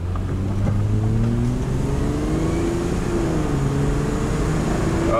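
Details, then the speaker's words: 2003 Honda Odyssey V6 0-60 run after new plugs replaced counterfeit ones: engine climbs smoothly through the gears under full throttle, no stumble or miss, strong clean pull; misfire fixed. "this man is some good power that's smooth I think the customer will be very pleased"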